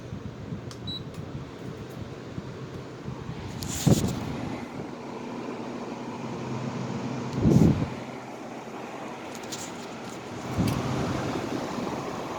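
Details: 2009 Haier window air conditioner, freshly cleaned after end-of-season removal, fan-only on high speed: smooth constant airy blower whoosh with a few handling knocks; fan motor runs cleanly on high.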